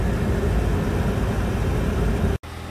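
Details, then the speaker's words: 2010 Nissan Sentra brought in with no heater blower operation; after blower motor replacement and a new cabin filter, steady, even fan rush with no squeal, rattle or ticking before it switches off; normal blower motor operation. "Well, as you can hear, the blower motor's working now."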